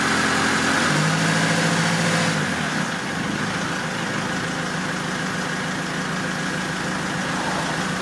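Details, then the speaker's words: Diesel car started after a fuel filter change during a service of a 2006 Mercedes C200 CDI or 2004 Toyota Avensis, with air purged from the fuel system. It goes from an uneven start to a steady clatter of about three beats a second, with no leaks: normal idle. "Donc là de ce côté là c'est bon, ça démarre, il n'y a plus de problème."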